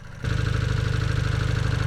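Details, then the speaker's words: Rebuilt Honda CB250 Super Dream twin, barn find, carrying two up a steep hill: quick even pulsing idle, steady low pitch, no misses or knocks; sounds fine, though it hesitates at times. "Yeah, it sounds fine. Sounds good."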